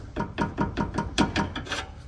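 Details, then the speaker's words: Nissan Sentra with loud suspension noise, car raised, subframe rocked by hand: sharp hollow knocks about five a second from play in the worn subframe bushing. "bom turminha aqui com o carro levantado eu consegui identificar a folga aqui ó na bucha do agregado ó é esse barulho que faz ali ó ó ele bate aqui"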